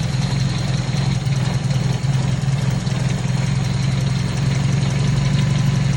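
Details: 1997 Toyota Corolla right after a cold start: low, dull idle with a slow, slightly uneven pulse of about 78 per minute, sitting lower than it should. Low cold idle speed.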